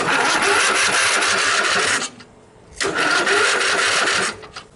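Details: Riding mower with bypassed, rewired safety switches and push-start button, powered by jumper cables from another tractor's battery: two roughly two-second bursts of free starter whirring with a pause between, normal cranking.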